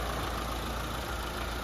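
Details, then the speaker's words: Mitsubishi Lancer 4G15 overhauled after overheating, new engine mounts: soft, steady low rumble with no knocks or ticks, very quiet even with hood closed; normal idle. "Sobrang tahimik. Pag nakasara yung hood, hindi mo malaman kung umaandar o hindi. Ayan mga padi, kailangan vibrate niya mga padi. Tahimik na tahimik."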